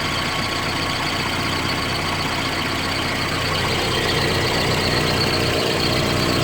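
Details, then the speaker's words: Engine that ran rough after a mass air flow sensor cleaning, now with the rubber O-ring gasket under the MAF sensor reinstalled: steady, even idle with a consistent beat and no hunting or stumbling; runs smoothly. "I've started up now we will see that the engine is running well with the gasket"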